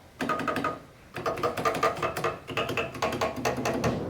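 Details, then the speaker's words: Vintage ARP Pro/DGX analog synthesizer being restored: sharp plastic clacks with each played note because the keyboard's key bushings are worn out and need replacing. "hear the clacking on the keyboard the key bushings on this are shot so the key bushings need to be replaced"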